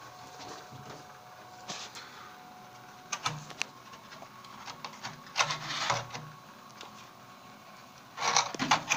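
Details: Water heater problem: quiet background with irregular clicks and short hissy bursts at uneven intervals; abnormal mechanical noise, cause undetermined.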